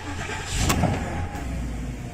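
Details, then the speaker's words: Porsche Cayenne with suspected steering lock fault, after current-draw test and battery reconnected: brief crank, engine catches first try and settles into a smooth, steady idle; clean, healthy start. "Car starts, first go."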